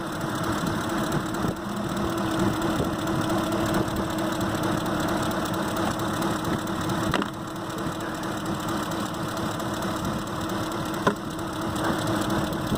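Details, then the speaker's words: 2005 Ford Expedition 5.4L with shaking: uneven, lumpy idle with irregular thumps and dips, misfire traced to dead coil drivers for cylinders 7 and 8 in the engine computer, which must be replaced. "el driver nos funcionan si lo puedes entrar porque entonces aquí la computadora los drivers donde están los controles no funcionan guys para arreglarse mis fallas se tiene que caber la computadora"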